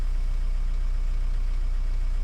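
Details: 2010 Renault Mégane 1.9 dCi diesel, restarted after a P0090 crank-no-start was fixed by repairing a bad fuel flow solenoid valve wire; the solenoid draws about 1 A and the engine idles around 740 rpm. Low, smooth, even rumble with no knocks, misses or rattles; normal idle.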